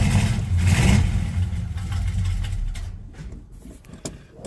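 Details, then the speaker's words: Monte Carlo cold start before fuel filter change: lumpy uneven low rumble that sags and fades; runs okay when floored then acts like running out of gas; owner suspects clogged fuel filter, or fuel pump. "so I'm thinking that fuel filters clogged if you hammer down on it it runs okay but then it starts you know acts like it's starting to run out of gas"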